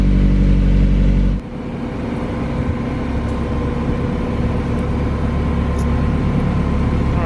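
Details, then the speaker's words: Mazda Miata (manual transmission, aftermarket radiator, coilovers) with fresh oil, new exhaust and intake, on a cold start: the engine catches and settles into a deep, throaty, even idle with a steady low drone through the louder exhaust. Normal. "Let's go ahead and get the first startup sound clip. We'll see what it sounds like on cold start. This is what you're going to hear when it sits in your garage overnight."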